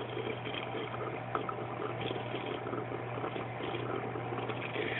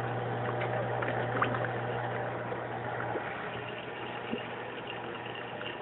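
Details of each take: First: AquaticLife Internal Mini Skimmer 115 on a two-week-old tank, constant wet gurgling and bubbling over pump hum from the air input connection, before quiet modification; not a water level issue: protein skimmer gurgling noise. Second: Aquaticlife Internal Mini Skimmer 115 after a quiet mod: the four holes in the collection cup cap are taped over, which removes the earlier gurgling noise. It now runs quietly with only a faint steady hum under a water trickle, and no rattle or buzz.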